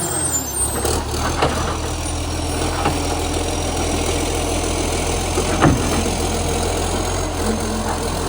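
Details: Canada Bay garbage truck SL780, diesel, Euro 3 style Euro 5 facelift, exhaust pipe leak (later fixed): loud rough idle with raspy blatty exhaust note above the engine drone; exhaust leak.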